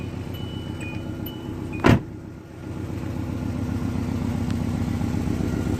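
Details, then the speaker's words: Car idling after exhaust leak repair and muffler work: low soft even exhaust pulse, no rasp or puffing, one brief click; sealed and quiet, previously loud racket. "like a kitten go check them out and tell them I sent you first just like a kitten that's what it should sound like"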